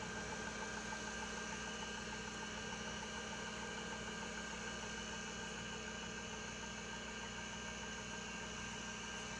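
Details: RLL hard drive on a PC-Retro IBM PC replica during low-level format via Western Digital controller: quiet steady hum with fixed high tones, no pitch change, spindle turning smoothly with no ticking or grinding; normal spinning.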